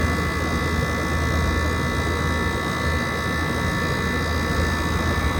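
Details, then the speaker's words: 2012 Frigidaire 18,500 BTU slide-out chassis window/wall air conditioner, R-410A, 220 V, almost 14 years old, first spring startup at about 88°F outdoors, still blowing cold. Steady low hum, even fan whoosh, no knocking or rattling: compressor and fan running normally. "410A, and it's still blowing cold at almost 14 years old. You don't get this lifespan out of today's units."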